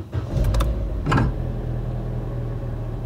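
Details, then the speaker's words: Crash-repaired Corsa, first start after refitting the front end: cranks, fires, blips once and settles into a steady low idle with no misses; normal start and idle. "See there, it's all running fine as it should do."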